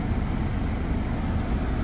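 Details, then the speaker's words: Opel Combo heater blower on fourth (top) speed after blower motor replacement, blowing to windscreen: strong steady rush of air with even low hum, no rattle or squeal; healthy, more powerful than before. "Четверта швидкість. О, в мене такого звука й не було. Мощ."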